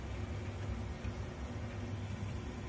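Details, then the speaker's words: Aspen air handler blower motor with the outdoor unit running; the blower kicks on briefly when the relay wire is wiggled, then slows and stops. There is voltage to the coil, but the small blower relay has failed; low hum with faint flutter, no fan rush. "Oh, now the blower's kicked on. Notorious for failing. Oh, blower slowed back down. It stopped again. So we got voltage to the coil, but this little relay has failed."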